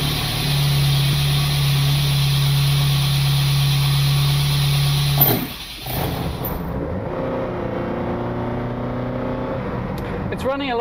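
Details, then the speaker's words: Lotus Elite after ignition fix with new spark plugs and adjustments: even, steady engine note then light smooth idle, no stumble, more responsive with less hesitation than before; smooth running. "a lot smoother. It's more responsive it's less prone to a little hesitation that it had before so I'm pleased with the effect that that's had."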